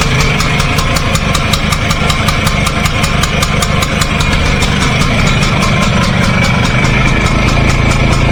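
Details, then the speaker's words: 1953 BSA Bantam D1 two-stroke, thought to have been restored in 2018, idling after a choke-on start, exhaust pointing out of the garage: crisp, regular popping over a rumbling exhaust, firing evenly without misses; healthy engine. "I'll start it up actually, give you an idea what it sounds like if you haven't seen the previous video. Right, I've just moved the bike around a bit so the exhaust is pointing out of the garage. Choke on, petrol on."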